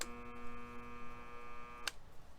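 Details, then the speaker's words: Estate-sale belt sander at switch-on: steady electrical buzz under two seconds then a click; motor gets power but won't spin without a nudge; fixed by replacing the start capacitor. "you hear that buzzing sound [Music] that means juice is coming to the device the motor is feeling the juice but it's just not starting up"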